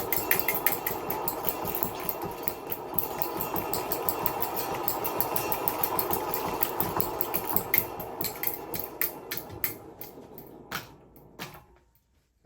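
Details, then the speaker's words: Hunter ceiling fan from a scrap pile, on low speed: loud rapid uneven ticking and rattling, about three per second, slowing and fading as the fan winds down; worn fan bearings. "all right here's low speed I think this is low yeah this is a low so loud yeah after this video it's going in the trash"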